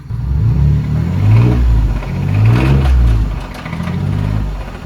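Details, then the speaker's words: Truck engine (Jolene) revving in waves with a heavy, uneven knocking underneath: a really bad rod knock; engine considered done and truck being sold. "Oh no. Boy, that does not sound good at all. But she's running. She has a really, really bad rod knock."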